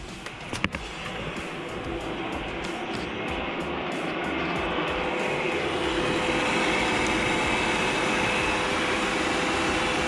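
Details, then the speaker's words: Honda Civic, radiator fan rewired to a 2-prong on/off switch fed by 12V accessory power through the cooling fan fuse: key on, switch on, steady rushing air with a faint hum; the fan runs normally. "But this one here, it has accessory power, so whenever I put the key on and I turn it on, the fan will turn on."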